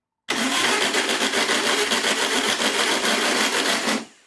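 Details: 1962 VW Beetle, sat over 20 years, carburetor primed by hand but the fuel pump is suspected of delivering nothing: about four seconds of steady cranking at roughly four turns a second, no start.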